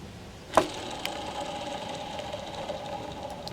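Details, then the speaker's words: Tigershark TS1000R jet ski engine, crankshaft removed for inspection; one main bearing spun by hand: sharp flick then thin grainy whir as it spins down, a rough worn main bearing, described as shot; others vary, rod bearings good. "That's a bad bearing. That one's not too bad. That one's really bad. Not too bad. And then this one. Yikes. That one is shot."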